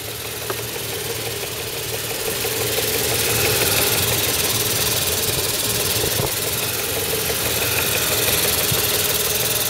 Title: MB 500CL 119 Engine - Timing Chain Noise Vid 1